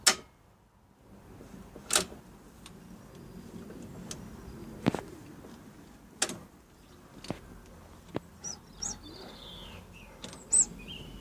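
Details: Honda XR500R PE03 RFVC single-cylinder running at idle: quiet idle broken by sharp, irregular clicks from the cylinder head, caused by a worn, stretched timing chain letting the camshaft jump in the slack; a new chain fixed it.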